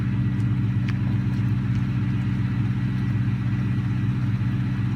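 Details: 2003 Ford Mustang GT V8 after small adjustments, missing bolts and nuts added, ground wire repaired: deep even idle burble, steady rhythm, no ticks or misses; runs great.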